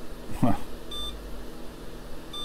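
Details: IBM 80386 computer build after a failed Windows 98 install: two short, high-pitched startup beeps over a faint hum. The owner suspects the memory sticks may be in the wrong SIMM sockets; not confirmed. POST error beeps.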